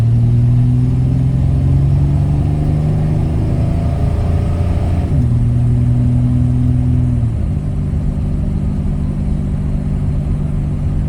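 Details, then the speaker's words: 1994 Chevy S10 pulling at about half throttle with a home-rebuilt automatic transmission. Even pull and two firm, quick upshifts with no slip or flare. Normal acceleration and shifting. "I felt nice and smooth guys transmission's really feeling good on here"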